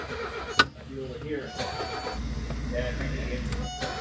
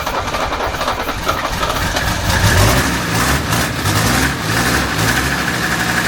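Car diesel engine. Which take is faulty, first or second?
first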